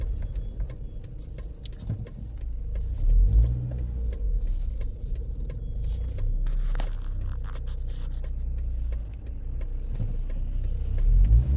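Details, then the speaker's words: Toyota Aisin MMT robotized manual gearbox driven after synchronizer replacement and shim washers (cut from gas-cylinder steel) under 3rd/4th gears, gearbox oil still cold; even engine and road hum, no clunks, crunches or grinding, shifts smooth and inaudible. "просто не слышно просто передач не слышно вон Ну ещё масло холодное Окей но оно прогреется"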